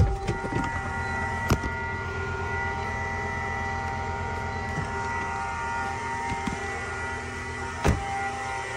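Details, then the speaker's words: Car engine running cold with a steady high tone and a few sharp knocks. The owner says the noise has occurred for years, only when the engine is cold; the cause is unknown. "customer States my car's been making this noise for years but it only happens when the engine's cold I have no idea what could be causing this to be honest"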